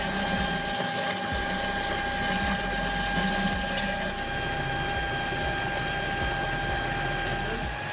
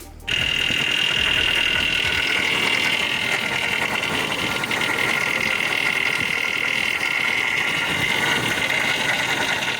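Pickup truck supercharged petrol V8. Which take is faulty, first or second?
second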